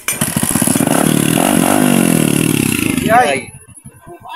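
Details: Single-cylinder motorcycle that was misfiring, running after swapping to a different CDI: catches and runs with a steady, even putter of about three beats a second before shutting down; sounds healthy.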